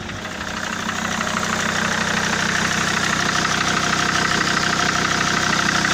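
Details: SsangYong Rexton 2.7 diesel at idle: sharp regular knock about three times a second over the idle. The shop blamed the injectors because the sound stopped when injector plugs were unplugged, then rebuilt one injector and replaced nozzles on two others. The knock remains; owner says it is not the injectors.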